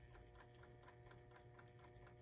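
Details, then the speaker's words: GE Telechron Tela-Alarm Jr. clock after a frozen rotor repair, sitting on wood with a faint steady hum and light ticking. Owner thinks the noise comes from the alarm; it goes quiet or stops when the clock is picked up, and he suggests felt feet. Cause unconfirmed. "And there's the noise it's making. I think that noise comes from the alarm."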